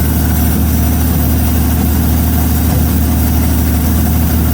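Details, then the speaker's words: 1933 Auburn V12 idled down at first start-up after 58 years in a museum. An uneven, stumbling idle as the passenger-side bank cuts in and out and pops. A passenger-side exhaust leak is suspected. "So the passenger side isn't running as good as the other side. Kind of cutting in and out and popping."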